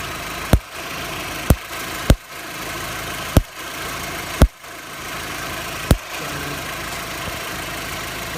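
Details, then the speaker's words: VW Golf Mk4 idling with sharp, irregular electrical snaps about every second, recorded just above the starter motor; a faulty starter motor was arcing and causing a misfire feel, and replacing it fixed it. "the start motor there. This is what I think is causing the misfire feeling."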